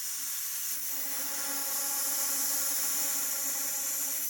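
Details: MINI Countryman R60 (2010–2016) sunroof drain blown through with compressed air: a loud, steady hiss rushing straight through. Air passes freely, and both drains are clear.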